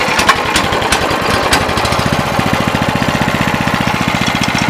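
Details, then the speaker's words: Sears 26-inch snow blower after swap to a new 6.5 HP Greyhound Honda-clone engine, choke on: catches on one pull into a steady, even single-cylinder putter with no misses or knocks; normal running. "it sounds good no bad sounds all I have left to do is make sure everything's tight and put the covers on it"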